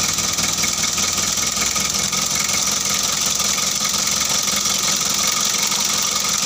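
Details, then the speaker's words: Mitsubishi L300 diesel just started after engine overhaul, injector lines bled: steady, even diesel clatter at a settled idle with no knocks or misses; running smoothly and healthy. "Được rồi các bạn, mọi thứ đã được sắp xếp gọn gàng, xe đã khởi động."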